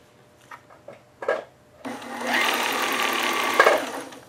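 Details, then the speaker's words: Sailrite LSZ-1 sewing machine with new WorkerB motor sewing fabric, speed turned up while running, noticeably quieter than before: quiet even motor hum with light steady needle tick a few times a second; normal operation. "Oh, it's quiet, a lot quieter too. Yeah, I'm loving it."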